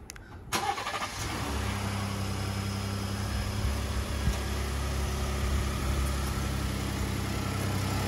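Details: Cold start at 71°F on a 2020 Ford F150 3.5L EcoBoost twin-turbo V6 with 33k miles: light uneven rattle over a steady idle that cleans up near the end. Owner believes it is cam phaser rattle, with no startup crunch. Left turbo was already replaced for wastegate rattle and now sounds clean; 21B10 PCM reprogram done; 21N03 phaser FSA pending.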